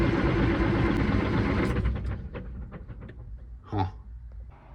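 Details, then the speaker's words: Caterpillar 3406E diesel in a D350E Series 2 haul truck, 18,676 hours, coolant and oil OK, fuel primed: starter churns at a steady beat, never catches, winds down; no-start from the engine ECM not communicating, while transmission ECM and monitoring system do communicate. "well after about three rounds of cranking on it I decided that maybe it's not a fuel problem after all so I went and grabbed the laptop and sure enough I'm not communicating with an engine ECM"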